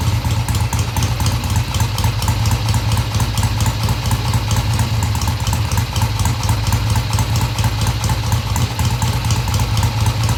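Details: 1971 Triumph T120 650cc twin after carb tweaks of about an eighth turn: even idle beat, picks up cleanly off idle through mid-range without stumbling or popping.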